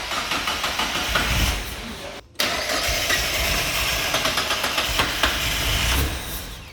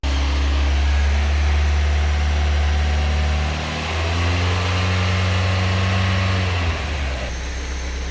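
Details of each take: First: Mazda MX5 track car on a Megasquirt running alpha-N with no base map, first key turn: quick starter churn, a pause, then a few ragged firing pulses that fade away. Engine fires briefly then dies. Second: Mazda MX5 track car engine on new Megasquirt running alpha-N on the standard manifold, before ITB fitting: after some revving it settles into a steady, even idle of about four firing pulses a second, with two sharp clicks; running cleanly.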